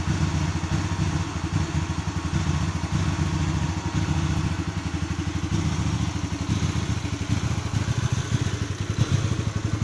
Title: GV250 Hyosung Rough Idle Issue